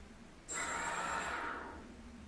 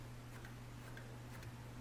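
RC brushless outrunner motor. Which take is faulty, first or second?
second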